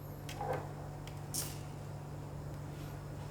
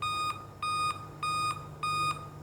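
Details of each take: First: Dell laptop after replacing the 3 V CMOS battery: powers on fully with only a steady low hum and a brief knock; the continuous beep is gone, starting normally. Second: Dell laptop at power-on: a repeating high beep, about a third of a second on and off, looping steadily.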